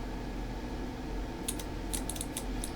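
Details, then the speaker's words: Relay coil switched with an Arduino DC motor ON/OFF setup, energized at 5 V after no response at 3.3 V: several short sharp clicks over a low hum as the contacts move from normally closed to normally open; normal operation. "you can hear the clicking sound actually I don't know if that's uh audible so once you have this type of relay once it is energized it is it will now shift from one position which is on the normally close to the normally open position"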